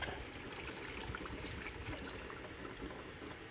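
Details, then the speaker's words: 2014 Toyota 4Runner during coolant change, refilling the radiator with Toyota pink coolant, second gallon: soft irregular gurgling and trickling as air bubbles through the coolant; system still to be burped with engine running. "hear it gurgling in there see it gurgling in here eventually it's going to fill up and i'm going to have to add turn it on and let it burp"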